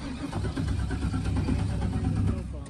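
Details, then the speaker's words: Jeep TJ in cold weather with fuel in tank: steady cranking that churns a few seconds then dies without firing; no fuel pump sound heard, cause suspected, unconfirmed. "We just stopped to grab the drone and our Jeep won't start."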